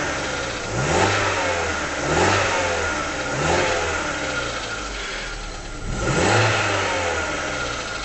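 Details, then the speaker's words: Rover 75 warming up at 54°C, idling around 1000 rpm with a bodged idle control valve, microphone inside the car: revs blipped, with a light rattle only as the throttle eases off, not at steady speed. Cause not identified. "I don't know how good this microphone is, but even in the car you can hear it sounds like little ends begin to rattle as you ease off. Keep it at steady speed, you don't get that rattling. It's only when you ease off."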